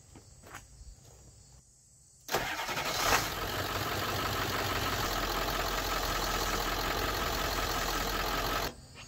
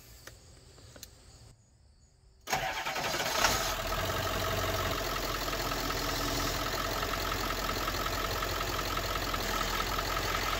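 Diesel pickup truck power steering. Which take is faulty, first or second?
second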